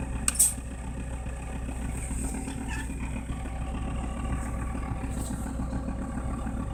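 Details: Toyota Land Cruiser HDJ80 diesel with mechanical injection pump and direct injection, just after a cold start at -20 °C: steady low rumble with even injection clatter and no misses or hunting; a healthy cold idle.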